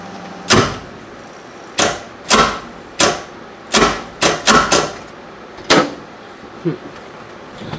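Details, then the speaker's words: 1973 VW Super Beetle with Subaru EJ255/EJ251 hybrid swap, alternator power wire disconnected, battery pack attached; starter clicks irregularly but doesn't turn the engine over; plan to tap starter with a hammer. "really weird it's like firing the starter sounds like it's firing but it's not actually turning over the motor"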